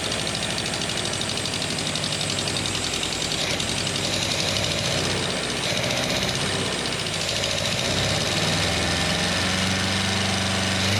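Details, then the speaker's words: Ninety rebuilt engine on its first run, with fuel pumps on, a little choke, good compression and no cooling system yet: it catches and keeps running at a fairly even fast idle without stalling. Ignition timing is still acknowledged as nowhere near right. "well it runs really perfect oh thank goodness for that um that's the longest it's ran it's first fight life really sounds okay"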